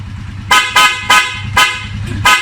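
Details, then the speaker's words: Rusi/Honda 125–250cc tricycle after starter repair and rewiring: five short, bright honks in about two seconds over a low steady idle, each clean and strong; both horns working. "So you'll hear the bike now. You'll hear the two horns, and we're finished."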